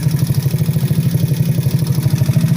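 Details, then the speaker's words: Ice Bear Mini Max 50cc Grom clone with extended frame and big bore kit, at idle before a ride: fast, even light tick over a steady low idle thrum. Owner suspects rocker arms; the tick was present before the big bore kit. "But there is some clicking going on, obviously, but yeah, it's all good though. But yeah. But yeah, it's yeah, I gotta take care of that click, and I'm pretty sure that's the fucking the rocker arms or whatever the fuck they're called in there."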